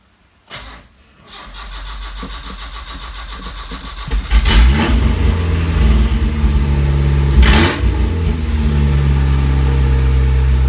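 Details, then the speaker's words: Isuzu Rodeo 4ZE1 after a top-end rebuild, in neutral, no exhaust fitted: cranks, catches and settles into a loud, steady, even idle on all four cylinders. Smoke was put down to spilled oil. Normal start and idle. "holy yeah that's all right i've got no exhaust on at the moment holy sh it's running on all four"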